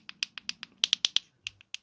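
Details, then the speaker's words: 2007–2011 Ford Focus 3-button remote key fob after dismantling and reassembly: crisp, sharp clicks in quick even pairs and singles with each press; buttons working normally. "Right, what we'll do is put that back on there, like that, and there's your buttons clicking."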